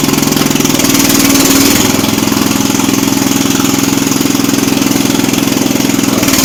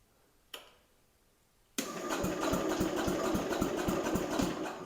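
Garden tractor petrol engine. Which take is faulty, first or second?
first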